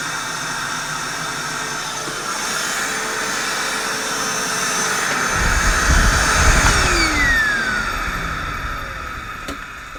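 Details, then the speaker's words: Reconditioned vacuum cleaner, motor running: a steady high whine with a faint dry rasp underneath, rising slightly then easing. There is a little motor bearing noise, not the worst, and the motor is judged good enough to sell as is. "A little bit of bearing noise in that motor, but it's not the worst."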